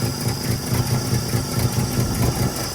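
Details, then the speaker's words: Truck with rebuilt Carter downdraft carburetor, cold start at about 8 degrees outside with a little choke, fires first try, then steady even low chug idling on its own without choke; healthy. "There it is. I'm gonna let her warm up. Got no choke right now. Kind of idling on her own."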